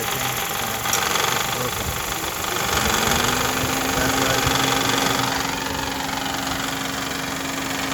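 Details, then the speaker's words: 2010 Honda Civic 1.8L petrol engine idling with a loud, uneven metallic rattle that began after a new AC compressor was fitted; the belt tensioner pulley is broken. "so as you can see you guys the tensioner pulleys broken that's why the the engine is making so much noise right now"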